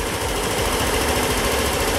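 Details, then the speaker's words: 2021 Yamaha XMax 125 (Blue Core), just started on a charged battery and left to warm: the small single runs with a quick, even chatter and no knocks or misses, healthy. "on sait jamais s'il est démarré avec ce Start and Stop ça c'est cool"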